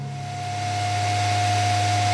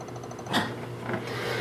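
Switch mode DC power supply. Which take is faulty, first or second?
second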